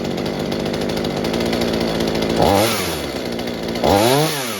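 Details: Mini chainsaw saved from scrap, being fixed for a fuel leak, after carburetor adjustment (low side opened, too-rich high side turned down): even steady idle with two clean quick revs rising and falling smoothly without bogging; normal running.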